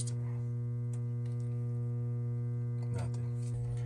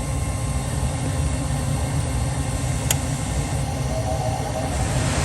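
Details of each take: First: Furnace draft inducer motor on a call for heat gives a strong, steady electrical hum and gets hot, with no fan whoosh: the motor is seized and not spinning. Board flashes three times for a pressure switch fault; hand-spinning may free it temporarily. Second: Furnace after fixing an inducer motor that hummed but would not spin, causing a pressure switch code: even, steady low hum and airflow rush with no rattle or scraping; inducer motor now runs smoother and quieter than before, normal operation.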